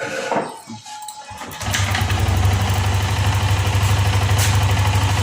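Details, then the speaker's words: Yamaha Lexi restart after repairing ignition: broken coil wire and missing coil ground fixed; starter whirr, engine catches at about two seconds and settles to steady, even low idle with no misses. "Oke teman-teman, motor sudah menyala."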